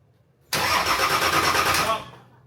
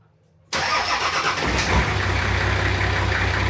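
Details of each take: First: Nissan Patrol diesel just fitted with a new 270hp injection pump, intercooler and exhaust manifold, injectors cracked to bleed air: harsh starter churn about 1.5 s with no firing catching; cranks without starting, likely air in fuel. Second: Diesel Patrol first run after fitting a new 270hp injection pump, front-mount intercooler, performance exhaust manifold and turbo core; it catches at once and holds a smooth, even idle with a steady low rumble and no knocks or hunting. Normal start and idle.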